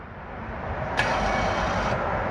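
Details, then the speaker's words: Car (60,000+ km) electronic parking brake (EPB) releasing during an apply/release check: a smooth whirring buzz of about one second over a quiet cabin, with no clicking or loud whine, so the EPB motor releases normally. "EPB 파킹 브레이크가 작동하나 안 되나, 여러분들이 소리를 들어보면 이상한 소리가 나면 망가진 거라고 그랬죠."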